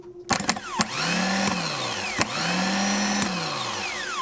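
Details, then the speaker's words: Yanmar marine diesel on a sailboat, starter motor after being worked on and reassembled; spins up quickly to a clean steady whir twice with no grinding; normal starter operation, engine itself still suspected of a diesel issue. "and that my friends is what a starter should act like and it sounded a lot better"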